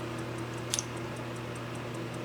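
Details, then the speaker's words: Wells Gardner K7400 25-inch arcade monitor chassis on a 75 W bulb load, B+ stuck at 25 V instead of about 180 V: steady low hum with faint sharp tick about twice a second; power supply fault. "we don't have usually goes to 180 volts we've got something wrong in our power supply you can hear it"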